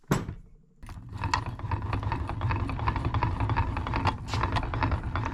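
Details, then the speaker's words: Neglected Kawasaki KX85 two-stroke used in burnout competition, crank turned slowly by hand: grinding, bearing-type noise, rough gritty clicking; suspected main crank bearing failure or a gear issue, leading to case split and main bearing replacement. "Well, it sure sounds like it's a main bearing issue potentially, or a gear issue of some sort."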